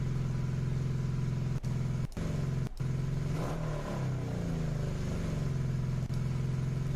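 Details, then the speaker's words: Carbureted motorcycle before adjustment: engine hangs at a high, steady idle and barely settles after a blip; carburetor idle adjustment screw turned too far in. "See how it's like revving really high"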